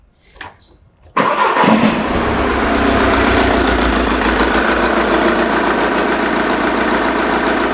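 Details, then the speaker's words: Engine with the pressure transducer in the tailpipe for an exhaust pulsation test, number 4 injector deliberately disconnected: it starts and settles to a lumpy, uneven idle, clearly misfiring with one cylinder dead. "As you could hear there that was certainly misfiring"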